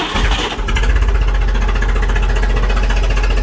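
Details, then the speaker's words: 2001 Chevrolet LB7 Duramax diesel after a battery upgrade: sluggish, labored cranking at about four beats a second under a heavy low drone. It cranks no faster than before; cause unclear. "It doesn't really crank over any faster."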